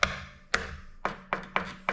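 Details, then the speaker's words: 2021 S-Works Venge handlebar: sharp hollow ticks about every half second as the bar is tapped; the JC200 Y-splitter cable junction stuffed inside the bar rattles despite foam wrapping, though unnoticed when riding. "it still rattles as you can hear now it's not an a major noise but you can hear it like this although i didn't notice it really when riding"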